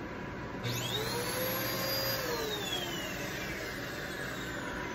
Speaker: that sounds pretty weird okay thing's a piece of sorry for the language